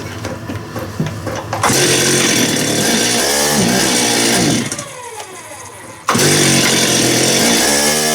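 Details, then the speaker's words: Stihl TS400 two-stroke cut-off saw after an ultrasonic carb clean, low-speed screw out about three turns: it stumbles off idle, then howls strong once wound up. The owner suspects it isn't getting enough fuel. Idle-to-high-speed hesitation, cause unclear. "so yeah something still not good on that high speed side but then when it spools up it runs good"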